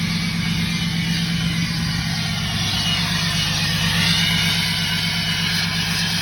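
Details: Tuned and deleted 2017 Ram 6.7 Cummins diesel at high idle: steady raised idle with clear high airy turbo whistle over the diesel clatter, constant pitch; normal turbo whistle.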